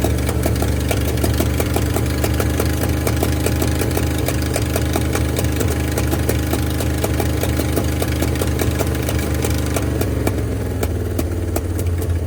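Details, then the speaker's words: 1971 Ford F250 parked 30 years, first run at −15 °C: low steady idle with sharp ticks and uneven beat from top end; one or two stuck valves suspected, plan to pull valve cover, free valves, replace pushrods. "I'm gonna have to pop that valve cover and change the push rods, but knock some valves free. Sounds like one or two is all that's stuck on this one."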